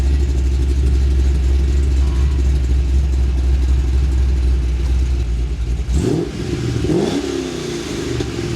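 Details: VE with LS3 and M6 manual, Chopper Reid camshaft, CNC heads, VCM off: deep choppy idle loping about twice a second, then two clean throttle blips; normal lumpy cam idle.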